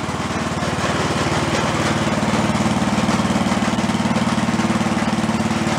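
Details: Gilson snow blower small engine, carb previously cleared of acorns, started with choke and throttle after electric starter repair: steady even single-cylinder putter at constant speed, no misses or knocks; runs smoothly, though throttle slowly vibrates down from full.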